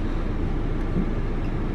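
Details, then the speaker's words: Audi TT after new spark plugs and one new ignition coil, previously misfiring: smooth, even low rumble with no stumble or skipped beats; code reader shows no fault codes. "no def fault code present it feels so good it feels so good to just do it yourself and not rely on anybody just freaking do it yourself"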